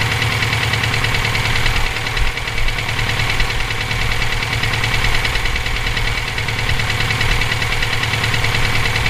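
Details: EJ257 at idle: a loose, somewhat uneven knock, roughly 146 per minute, rides over the idle, present for about 17k miles since purchase; owner asks whether it is rod knock, a spun bearing or valve lash. Source unclear.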